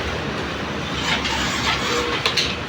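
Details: Yamaha Mio i 125 scooter engine running with a loud coarse rattling clatter, "helicopter" sound, much harsher than normal idle; engine to be opened up to find the cause.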